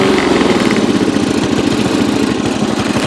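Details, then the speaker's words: Yard King riding mower, small single-cylinder, Walbro carburetor, throttle linkage fixed, no longer surging or over-revving: idle thumping with an uneven, stumbling beat and occasional skipped firings; still misfires and backfires, blamed on the carburetor. "I mean it it misfires and backfires and does all that crap but it's a wro carburetor which I eventually found out"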